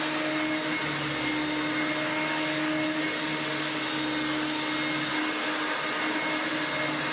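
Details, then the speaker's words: Restored Hoover Turbomaster Electronic upright vacuum on carpet in brushroll mode, setting one, after new motor and brushroll bearings; smooth constant high motor whine with even brushroll hum, no grinding or rattle; normal running, pulls itself forward. "now we put it back to brushroll and put it into number one and then we'll turn it on it rips the carpet like that itself forward"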